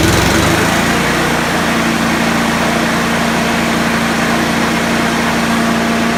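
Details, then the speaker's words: Honda HRU216 mower that would not rev to full speed, after moving the governor arm to preload it: small single-cylinder revs high and holds a steady even buzz with no hunting; top speed much improved and still idles well. "you see the difference a mix is huge still idles really nice but top-end flat"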